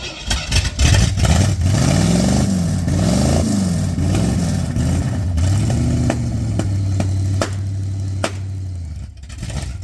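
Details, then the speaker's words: 351 V8 installed in truck, ran well out of the truck: revs unevenly and hunts, then sharp ear-piercing shotgun-like pops as it settles; rough running with backfiring, cause unclear. "Put it in the truck now, it won't. Now it's ear piercing. Sounds like the shotgun's going off."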